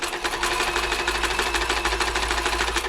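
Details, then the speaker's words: Toyota model 2640 sewing machine before service, never serviced or cleaned, fluff not removed, quick run after new plug fuse: noisy fast rattly clatter about three beats a second over harsh dry hiss; dry unlubricated mechanism. "yeah pretty noisy expected the machine hasn't been serviced before got little reme here from the customer it says never been serviced"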